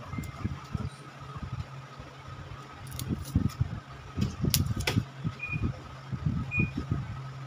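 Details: Automatic washing machine motor that only hums and won't turn in wash or spin-dry: low steady hum with scattered knocks and no real spin-up, consistent with a failed motor run capacitor.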